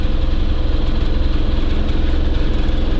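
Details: Small two-stroke SMZ invalid carriage at its first start after long storage. It idles with a slightly uneven, loping beat whose revs keep sagging low, as if the idle is set too low.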